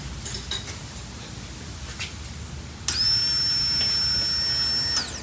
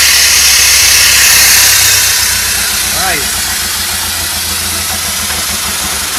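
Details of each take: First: Pontiac Fiero parked for 30 years, new fuel pump and sending unit temporarily connected, key-on: quiet, steady high whine for about two seconds then stops; normal fuel pump priming. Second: Pontiac Fiero sitting 30 years, just fired up after fuel pump and tank replacement: uneven idle at roughly two pulses a second under heavy hiss, backfiring; owner suspects missing vacuum caps, not confirmed.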